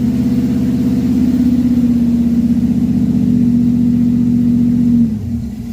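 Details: Chevy stored since 2010, first start in 15 years after new carb, fuel pump, plugs, wires, Hooker headers, H pipe and Flowmaster mufflers; strong steady squeal holds through the rev, drops away as revs fall; source not pinned down.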